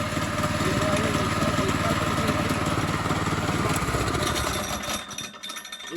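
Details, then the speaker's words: Monster Moto 80 minibike with a new Predator 212 engine on its first run, wheel in the air: engine running fast with a steady metallic clatter, about four hits a second, as the clutch sprocket rattles on the housing after the chain came off. "It's this part right here clanking against the metal part."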